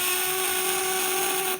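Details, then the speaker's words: Contact breaker (platina widia) tested at 1000 W setting, 12 V input, full load: loud, steady, shrill buzz with even pitch and no stutter, then a clean stop; normal full-load buzz. "Nah kita tes di 1000 langsung diserbu full tenaganya kayak ini kenceng banget nih suaranya juga ngebut sekali ya suaranya ngebut sebagai"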